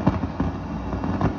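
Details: Late-1990s Fender Prosonic tube amp after warming up, on the clean channel with nothing plugged in: irregular sharp pops and crackles over a low hum, unaffected by volume. Pulling tube B3 affects it most.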